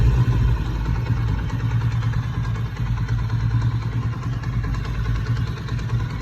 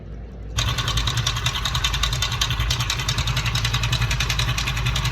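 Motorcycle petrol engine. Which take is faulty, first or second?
second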